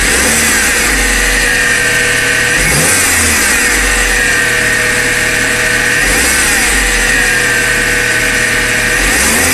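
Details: 1995 Honda Civic running with a strange high, steady whine over the engine that wavers briefly each time it is revved; cause unknown.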